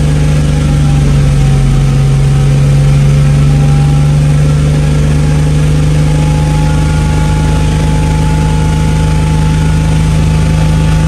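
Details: Toyota MK3 Supra, stock-block six on Haltech standalone after hub-dyno tuning of idle, cranking and fuel tables so it fires every time hot or cold; steady, even idle with smooth low drone, no misses or stumbles.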